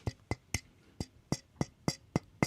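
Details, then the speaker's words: Newly pressed amplifier turret board shaken by hand gives sharp dry clicks, three or four a second; one turret not pressed fully and rattling loose. "So, there's a turret on here that's not pressed all the way. And it's kind of a pain in the butt to find it cuz you got to go through and like wiggle them all."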